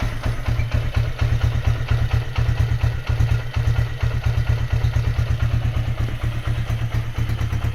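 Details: Honda GL100 after rebuild to about 160 cc with Megapro piston, gear changed 40 to 36: steady, even single-cylinder thump at idle with a light exhaust note from a very light exhaust; sounds healthy after the rebuild.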